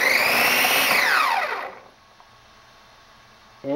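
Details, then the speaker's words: DHK Hobby Maximus RC truck with new larger brushless motor and ESC, static test: clean whine rising and falling with throttle, forward and reverse, no cogging, grinding or stutter; smooth and healthy. "this thing is as smooth as can be okay now i'm going to give it some juice a little bit nice smooth power"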